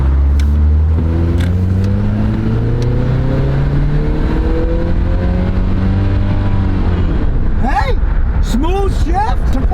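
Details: Used Chevy Colorado 4-cylinder pickup with high mileage, long-term fuel trim 3%, tested for power: engine note climbs steadily under full throttle, then drops cleanly at about seven seconds with no flare or clunk; a smooth upshift.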